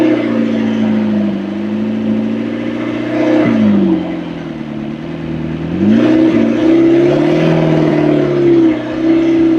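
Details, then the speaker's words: McLaren 650S after feared blown motor or oil overfill: idles smoothly and revs cleanly twice, pitch climbing and settling evenly, no knocks or misses, both banks' values matching; smoke nearly gone, diaphragm under a pulled cap thought to have been stuck. "Okay, that's good. That sounds really good. That motor sounds really good. Everything sounds nice."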